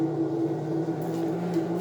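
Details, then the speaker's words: Consul CWC12A washing machine, noisy at spin: loud, steady low droning hum while the drum is stationary, before spinning starts; technician believes a defective drain pump rather than mechanical fault. "Vocês observam aí no vídeo que ela tá parada. E mesmo assim ela tá fazendo um barulho ensurdecedor, muito forte."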